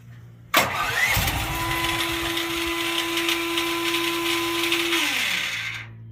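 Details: Duromax XP12000HX generator, which previously backfired and would not restart, after fitting an NGK BPR6ES spark plug and a new gas hose: fires on the first pull, runs at a steady buzzing speed without popping or backfiring, then winds down evenly; sounds healthy.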